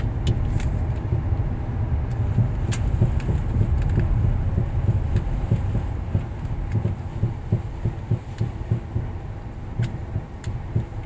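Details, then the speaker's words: Sway bar end link with play in its ball sockets or bushings: heavy, uneven low thumps with sharp clicks as the steering wheel is rapidly turned side to side; worn sway bar end link thumping. "here's another video of the same vehicle this video shows a louder thumping noise when rapidly turning the Wheel from side to side"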